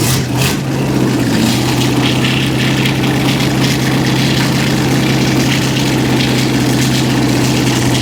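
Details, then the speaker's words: 1955 Chevrolet truck V8, open pipes, just started after cranking attempts: loud, uneven lumpy stumbling idle; runs on about six cylinders, cause unconfirmed. "right, it runs. runs on about six cylinders."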